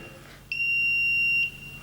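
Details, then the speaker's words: Smart RCBO/smart fuse with phase and neutral disconnected and phase taken from outside for a simple grounding test: one steady high-pitched beep of about a second, earth leakage warning; leakage limited to 7 mA while still signalling. "or not, the relay or the smart fuse is limiting it to 7 milliamperes and it's still giving a signal."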